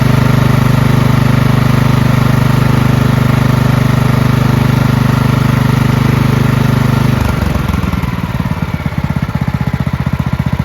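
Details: Marching band hauler small engine after repair: red residue cleaned from the carburetor, all fuel lines, fuel filter and fuel shut-off replaced; steady even chug, then revs drop and beat slows, runs cleanly without stumbling; normal running.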